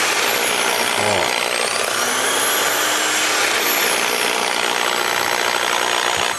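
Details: Original Skil electric drill running in reverse with rough, hissy, wavering whine instead of clean hum; cord stopped the housing closing and screws not gripping; rough running from misassembled housing.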